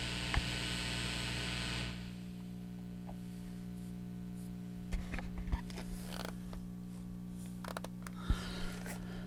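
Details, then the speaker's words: Restored Supro valve guitar amp after hum repair, heater leads rerouted: at volume zero the meter barely registers, wide open about 54–56 dB; low steady hum and faint buzz with handling clicks; slight normal mains hum. "so right now the amp is on and the volume is at zero and let's just see how much level we got well it's not even going to it's not even tripping the meter"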